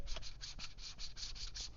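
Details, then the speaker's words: Vevor random orbital sander, being compared: rhythmic dry scraping about five times a second as the pad rubs on the housing, with grease visible on the wheel, so it won't spin freely. "that is rubbing on there. So that's why it's not allowing it to spin freely."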